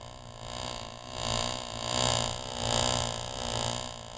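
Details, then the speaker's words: Driveline demo model with electric motor, u-joint yokes 90° out of phase; card on second shaft sprocket buzzes, swelling and sagging in pitch twice per revolution, about 85 times a minute, showing speed variation from a u-joint phasing error. "the rotating speed of the shaft varies one revolution ution of the shaft sounds like this as you can tell from the sound the shaft speeds up and slows down twice"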